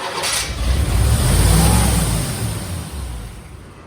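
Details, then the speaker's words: 1987 C4 Corvette with under 86,000 miles, not run for years, with new injectors fitted. On starting, the engine climbs to a fast, fairly even rumble that stays high, runs rich, and has oil pressure; vacuum leaks suspected. High idle. "Alright, that's revving way too high. Probably vacuum leak. It's running rich."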